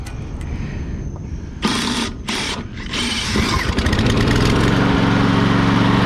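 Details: Push mower left with untreated ethanol gas that separated into water, dirt and gunk. No spark was found, and the owner suspects a corroded or dirty brake/kill piece. Short pull-start bursts sputter and cut out, then it catches into an uneven run; hard starting.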